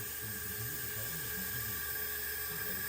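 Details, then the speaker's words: Craftsman YT3000 lawn tractor, Briggs & Stratton 21 hp Intek 331877, engine off, leak-down test: continuous loud air hiss, gauge barely climbing, showing a blown head gasket. "I can hear it, the gauge is barely climbing. So we're losing pressure quick, obviously."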